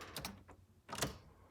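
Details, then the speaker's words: Jeep XJ sitting since 2019: key on gives only sharp relay clicks with no fuel pump prime hum, and no power to the coil or spark; owner suspects dead fuel pump, chewed wire or bad computer. "relays clicking, but that's all you got. And now obviously with no fuel pump, it ain't gonna do nothing."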